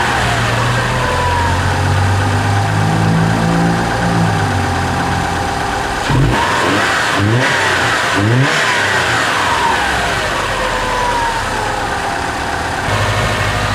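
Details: Subaru turbo after installing GrimmSpeed couplers, pitch mount and turbo blanket, checked for vacuum leak on first start; steady idle then clean rev blips rising and falling smoothly, no stumble or hiss; normal idle and revving.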